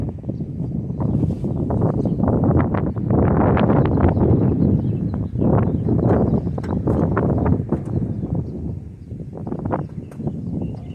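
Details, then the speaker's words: 1978 Chevrolet Custom Deluxe truck after sitting about 21 years, engine freed by hand, battery connected, spark plugs out: quick even cranking about four turns a second, no compression chuffs. Engine spins over freely. "That's what we wanted to hear. That thing was just spinning right over. Obviously no spark plugs in it. That's a fantastic sound."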